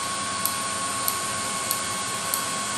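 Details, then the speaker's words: 30k BTU multi-fuel personal cab heater on an M35A2 deuce and a half, running: steady roaring hiss with a sharp tick about every 0.6 seconds, possibly running slow; owner thinks the batteries are getting low. "from the sounds it sounds like my batteries are getting a little low i think"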